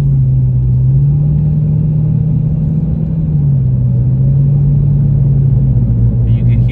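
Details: 2006 Dodge Charger RT: loud steady humming drone, slightly wavering in pitch, over road rumble every time it is driven, stopping when the steering wheel is turned slightly left; owner suspected power steering and replaced the fluid.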